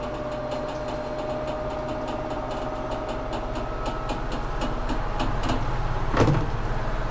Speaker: Sounds good though, healthy. Watch him. Yep, everything works.